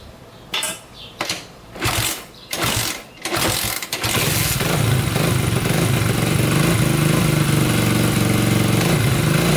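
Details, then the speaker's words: 1987 Honda 250X single after new valves, top end rebuild and new coil, restarted after adding gas: several quick kicks, then it catches and settles to an even, steady idle with clean blips, no leaks; normal running. "oh yeah i'd say that's a success engine's not leaking anything sounds really really good"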